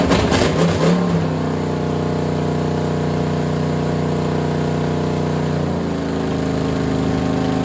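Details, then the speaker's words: Freshly assembled small block Chevy for a Model A hot rod, Vortec heads and new cam, first start on a stand after fuel is sprayed in. Loud, steady open-header rumble, even beat, no knocks or ticks; 60-70 psi oil pressure, runs healthy. "I'm pretty happy with the way it sounds I don't hear any bad sounds yet and the oil still looks pretty clean and everything"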